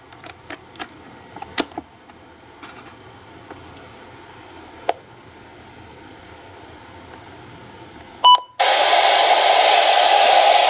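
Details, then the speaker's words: Midland WR-100 weather radio that had no sound, just after its crystal filter was replaced, powered by adapter with the antenna not yet connected: a few clicks and a beep, then steady static. The receiver audio now works. "There we go, now we have static."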